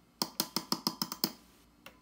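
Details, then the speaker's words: Fender Twin Reverb with random feedback-like noise complaint: tapping preamp tubes, second tube gives eight sharp ringing pings, one per tap about every sixth of a second, bright metallic ring; very microphonic tube. "this one this one right here very microphonic second tube"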